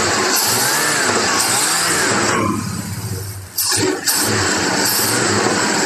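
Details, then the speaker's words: Old V8, sitting about two years, that the owner first thought was misfiring, running; a steady, even beat that dips briefly as the throttle eases, with no skipping; runs without a miss. "but we she does run she's not missing and that's what I initially thought it was was a misfire or something like that"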